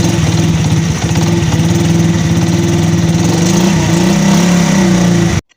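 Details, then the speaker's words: 100cc motorcycle after repair: smooth, regular idle putter with no knocking before shutdown. It previously had a rod-like knock at slow idle that disappeared with throttle, caused by worn parts with play touching. Normal idle. "दोस्तों यह आपने आवाज सुनी होगी पहले हमारी आवाज किस तरीके से थी और अब हमारी आवाज मोटर बाइक की किस तरीके से है दोस्तों 100% हमारी बाइक बिल्कुल ठीक हो चुकी है"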